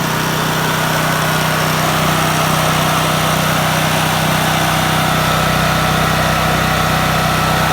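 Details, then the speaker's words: Small generator pull-started with dead battery, choke then turned off: steady even drone with no stumbles or knocks while warming up before idling down; normal warm-up run. "As it warms up, you can turn this for it to idle down."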